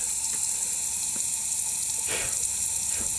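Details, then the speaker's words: Used VW TDI PD engine on a leak-down test at cylinder 1: a steady loud hiss of air rushes out the exhaust port and blows sprayed fluid back out, so the exhaust valve isn't sealing, likely bent; no crankcase or intake leakage heard. "And you can see there's so much blow by past that exhaust valve that it just sprays the spray right back out."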